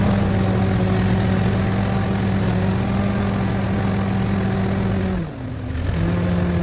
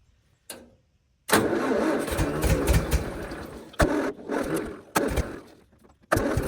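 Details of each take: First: 1970 International 434 tractor after distributor adjusted to correct timing: steady even low thrum with one brief dip, then clean rev blip; runs and revs well. Normal idle. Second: Tractor engine back from repair: starts, then runs ragged with uneven spits, sputters and surging; ignition timing is off, distributor being turned to improve idle.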